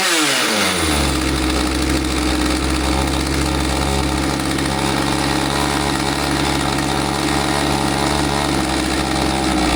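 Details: Husqvarna 543XP chainsaw after corrective carb adjustment, bog previously caused by owner's misadjustment: catches and climbs quickly to a steady high buzz holding evenly without bogging or surging; normal running.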